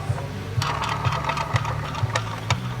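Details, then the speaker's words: Bow axle, rolled on a flat surface near the mic: dull thump about twice a second, once per turn, over a low rolling hum; the axle is bent, also visible as it rolls. "We know this one's bent. We'll let you hear this one. So I don't know if you can hear that. And you can also see it when it's rolling."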